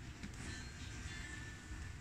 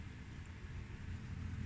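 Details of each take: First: Luxman LV-105 amplifier after cleaning selector switches with WD-40 and resoldering input board, playing a copied CD: music plays steadily in both channels, no crackle, buzz or hum; earlier hum/distortion traced to cheap RCA cable, now clean. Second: Luxman LV-105 amplifier on speaker A, left channel: steady low hum and distortion with nothing playing; suspected dirty/lost connections in input, speaker selector and tone boards, later cleaned and resoldered.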